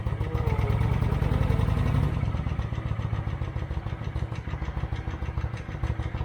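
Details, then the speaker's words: 2008 Kawasaki Vulcan 900 Classic LT, first start in 8 years after new plugs, with good spark and fuel pressure: it catches with a loud burst and settles into a steady, even idle, running healthy. "start wow that sounds like a brand new fight"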